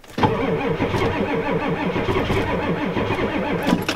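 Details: Ford F250 7.3 IDI diesel cold start at 12°F, weak batteries, before glow plug cycle: turns over in even, rather slow chugs for about four seconds and never catches; cranks but does not start.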